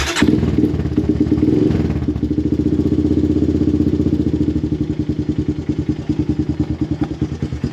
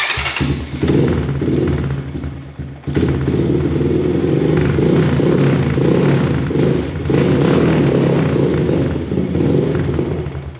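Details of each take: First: Honda TRX250X/250EX quad after a full service (new air filter, oil, spark plug and differential oil), started warm with choke: catches, then settles into a regular single-cylinder thump at a steady rate; normal running. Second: 2014 Honda TRX250 single-cylinder ATV, cold engine started indoors on a cold night on full choke in neutral: fires up, then revs sag and pick back up unevenly; won't hold idle until warm.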